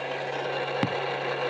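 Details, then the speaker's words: Right automatic folding side mirror with a broken internal lock. The motor hums steadily with one sharp clack. Folding no longer works and the whole mirror assembly may need replacing. "അപ്പോൾ ഇതിൽ right side mirror already ആ ഫോൾഡിങ്ങിൻ്റെ option പൊട്ടിപ്പോയി. ഉള്ളിൽ നിന്ന് ആ lock പൊട്ടിപ്പോയി."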